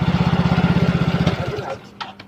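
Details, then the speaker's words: Yamaha Mio Soul GT fuel-injected scooter, previously dead, idling after over-tight valve clearance was readjusted; even putter around fifteen beats a second, no skips until switched off; normal idle. "Analisanya jutaan, tapi biaya 25.000 motor injeksi kembali hidup"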